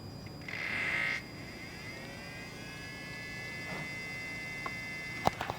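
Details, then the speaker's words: BMW E92 335i N54, new electric coolant pump running during the coolant bleed procedure: thin steady high whir with a brief louder burst, then an even whine without grinding; pump working normally. "i'm gonna do the coolant bleed procedure and just see if the pump fires up [Music] the pump fired straight up holy you can hear it whizzing away"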